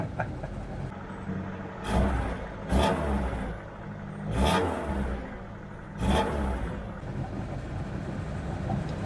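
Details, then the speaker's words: 1978 car, engine starting straight into a smooth, even idle with four clean throttle blips, no knocks or misses; running healthily, though oil pressure gauge reads zero (lamp cutting out, suspected gauge fault). "Like that, straight into idle. This engine is really running nice."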